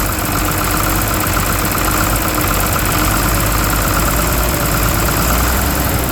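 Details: 12-valve Cummins diesel at idle: loud clatter with an uneven, lumpy beat and rattling underneath; rough idle, owner suspects the injection pump, not confirmed.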